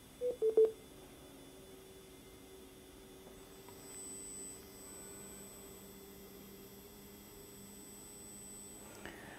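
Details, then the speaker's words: Gotway RS-19 HS (C30) electric unicycle at switch-on: a couple of clicks then a faint steady thin whine that doesn't change, with a red beeping LED inside; whine source not identified. "because if you turn the wheel on it has this whining sound to it so let's turn it on and here where it's coming"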